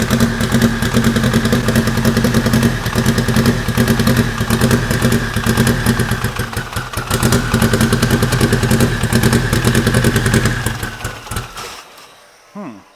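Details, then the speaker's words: Fully warmed-up car at idle, often left on rotational idle: lumpy, stumbling idle that sounds like a tractor; misfire on cylinders 3 and 4 after sitting, owner plans to swap in new plugs. "seems like cylinder 3 and four are missing I think I'm going to swap some new plugs in it"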